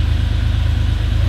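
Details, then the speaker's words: 1989 Porsche 911 Carrera 964, air-cooled flat-six: deep, even low rumble with a quick throttle blip near the end, smooth and healthy; normal rev. "Listen to that...it's beautiful. Air-cooled. No water."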